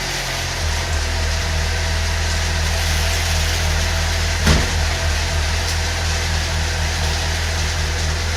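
Steady, even idle with a smooth low drone and no knocks or ticks; the engine settles and runs cleanly.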